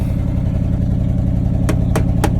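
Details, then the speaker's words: 1979 Chevrolet C30 square-body truck: a deep, even V8 idle rumble with a few sharp clicks near the end. Normal idle; it sounds good. "Overall, she sounds good."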